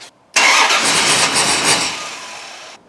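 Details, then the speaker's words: Dodge Ram 1500 with a replacement 4.7 HO V8 from a 2003–04 Jeep Grand Cherokee, after suspected jumped timing chain: the engine catches with a loud burst, revs about two seconds, then shuts off. No clacks or clangs. Starts then stalls. "because it started for just a second and then it shut right off no clacks no clangs"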